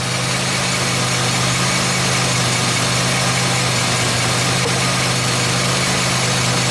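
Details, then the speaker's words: 2003 Pontiac Grand Am GT, tires off with the wheel spinning, stethoscope probe held to the mic: constant rough hum with a gritty rushing layer. Grinding front wheel bearing on this side, confirmed as the bad hub; the other side feels different. "I think it might just be the [Music] rotor this side has the grind oh yeah yeah it is this side for sure"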